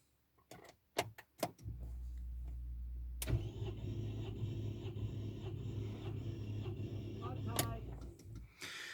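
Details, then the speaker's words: Rover 75 1.8 K-series compression test during a cam belt change, all spark plugs removed: the starter clicks a few times, then cranks steadily and evenly for several seconds with no firing. The gauge reads about 100, so compression is even. "right so what we've got to do now we're sitting inside the car is turn the engine over now it won't start because all the spark plugs are removed"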